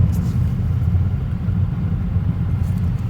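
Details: 2024 Tesla Model 3 Performance cabin while driving: steady low road rumble with no dash rattle, heard while the trim near the LED strip is held still; the owner later wedges foam above the strip to fix it.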